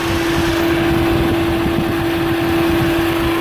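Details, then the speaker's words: 2005 Chevrolet Astra overheating, at 221 degrees before relay replacement; loud steady whir as fan engages only at second speed, neither fan runs first speed and the other fan turns very slowly, due to a bad relay. "el ventilador no se activa o no se han activado no prende entró el ventilador pero entró en segunda velocidad"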